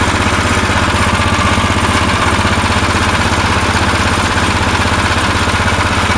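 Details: Tecumseh snow blower single-cylinder engine after a carburetor repair: the plastic float in the Chinese carburetor was heated with a torch. Started on choke, it runs at a steady, even beat of about four pulses a second with no stumbling or surging. It now runs longer than before and seems fixed.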